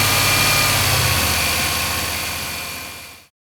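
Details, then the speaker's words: 2011 Ram 1500 Hemi V8 at 175,000 miles idling evenly with a steady low pulse after the whining noise was cured by replacing the idler pulley; new belt, power steering flush and new pump had not fixed it. "I ended up replacing it. The part, it cost me about $15. It took like 5 minutes to replace, and I'll let you be the judge to see how the noise turned out."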